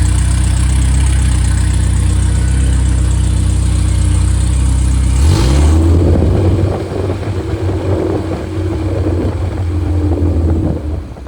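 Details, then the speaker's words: Freshly rebuilt 1500 engine (Triumph Spitfire/MG Midget, FP22382UE; 9.5:1, 270 cam, balanced): revs high and smooth (about 60 psi oil above 3,000 rpm), then drops cleanly to a steady hot idle at 28–30 psi with no knocks or ticks; healthy. "I guess when the gets down to idle, it's about 28 to 30 and that's plenty of oil pressure. And so it's doing very well."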